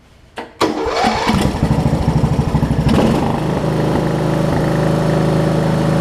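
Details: Wizard (Craftsman-type) riding mower after fitting a new carburetor replacing the worn-out old one: engine cranks briefly, catches in about a second, then settles into a steady, even idle with clean firing; starts and runs normally.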